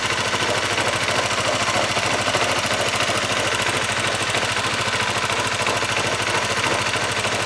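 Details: Honda CBR150R engine running with a harsh metallic knock, about three a second, worse on cold starts; cause was a broken bearing inside the engine, also making clutch housing noise, fixed by overhaul.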